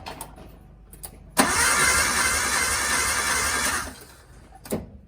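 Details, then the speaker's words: Suzuki Sierra's original engine, cold with the sump off, during a compression test before the G16B swap. Cranking gives a flat, slow whir without the rhythmic chuff of compression strokes. Cylinder 2 reads 60 psi against 125 psi on cylinder 1: low compression. "And you can hear that slow. You can't really hear the oomph, oomph, oomph, oomph. So 60 PSI. That's why the engine is sad."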